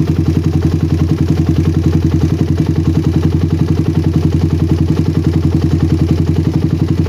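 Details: Single-cylinder bike with a PWK carburetor that ran wet at low RPM, now tuned. The idle is a steady, even low thump, and holding the throttle slide pressed has no effect. The air-screw setting is balanced.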